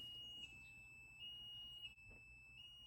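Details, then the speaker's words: 1931 Ford Model A, rebuilt engine with new Snyder head, at top dead center with points checked by buzz box: steady high buzz shifts abruptly as advance lever pulled and points open right at TDC; timing set correctly. "i'm going to pull just a little bit on my advanced lever you can hear the change we're right at the very top"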